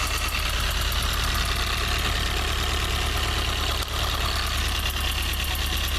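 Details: Toyota 4A-GE 20V blacktop, cold idle; light quick ticking about three a second from the exhaust header area, disappears at high revs, which also bring smoke; cause unconfirmed; ticking noise at cold idle.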